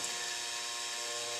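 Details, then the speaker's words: Comgrow filament dryer's small 40x40x10 circulation fan (owner swapped the noisy 12 V fan for a 24 V one to run slower): constant high buzzing hum at a fixed tone. Holding the case or pressing the fan barely damps this vibration buzz. "I've considered some type of sound dampening material but just holding on to the plastic case or pushing down on the fan doesn't seem to be dampening it much"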